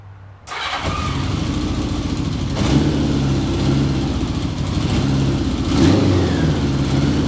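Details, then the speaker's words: 1981 Honda Goldwing Interstate 1100 after repair: it catches quickly and settles into an even burble. It revs cleanly with no misses or knocks, now starting and returning to idle better. Exhaust still needs work. "so sounds great sounds good"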